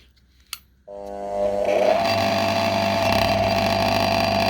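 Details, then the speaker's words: Single-phase AIR-series induction motor with large start capacitor on a three-wire soft starter: starts smoothly, then hums loudly and vibrates (not present on direct mains), as the starter never fully opens and clips the voltage waveform. "Подключил к нему стартует плавно разговоров 0 Но есть один момент он очень сильно гудит"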